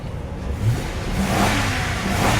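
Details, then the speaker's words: 2003 Lincoln Town Car, running after sitting 7+ years, service engine soon light on, fuel pump suspected: V8 pulls up smoothly in a rising growl and drops back cleanly with no misses or knocks. Healthy revving. "Oh yeah, these engines are so good."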